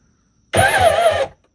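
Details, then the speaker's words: Kawasaki 1100 jet ski with a low-compression engine: under a second of sluggish, labored cranking with uneven low beats and no catch; owner suspects a bad battery or weak starter; weak starter, slow cranking. "Did not sound good. [Applause] Either we got a bad battery or the starter's weak. I don't know which."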